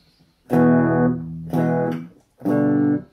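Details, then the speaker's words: Squier Classic Vibe 50s Telecaster single-coil through an amp after grounding its shielding: clean plucked chords and near-silent gaps with no buzz or hum; shielding problem fixed. "there you go almost dead silent now after a little bit of a detective work to figure out where the shielding problem was"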